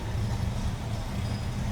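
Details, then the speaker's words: 1964 Chevrolet C10 Custom Cab V8 idling: low even burble with steady exhaust pulses, no knocks or misses; running pretty smooth, normal idle. "May just be a single exit on the driver's side over here. Running pretty smooth."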